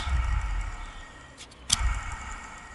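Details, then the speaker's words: Chinese diesel air heater fan and turbine assembly after 1500 hours, hand-spun during service: smooth whir-down with a soft, even hum and only a very faint bearing sound; bearings normal, running smoothly. "I can hear a very faint bearing sound but you probably can't hear it I'll put it close"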